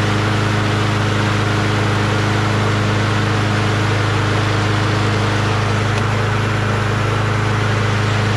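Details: Briggs & Stratton Quantum single-cylinder engine: steady, even putter at about 220 beats a minute with no knocks or misses; runs healthy.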